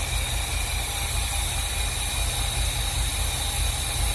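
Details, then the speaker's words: 1986 squarebody 496 big-block V8 after new Accel 9000 ceramic plug wires, leaned to about 15.5–16 AFR with 8.5 psi fuel pressure: steady low idle rumble with faint hiss, no misfire or stumble; normal idle. "Oh, it's sounding pretty good right now."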